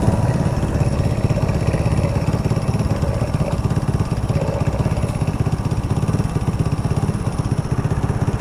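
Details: Old Hero Honda Splendor used on farms and long unserviced: small single idling with a fast, uneven clattering beat on the thump, pointing to a worn timing chain and damaged guide.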